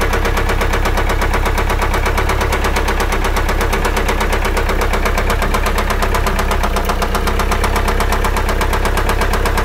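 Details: Car engine whose sound suddenly changed: fast, steady ticking near three taps a second over a running idle; tapping noise from the engine, source undetermined.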